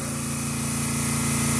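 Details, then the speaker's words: Small air diaphragm pump on an OX Tool 2L coolant dispenser system, just switched on and heard in the background: a steady, even buzzing hum with a fast pulse and no knocks or rattles. It is not particularly loud and is running normally. "you can hear it in the background back there and it's not particularly loud"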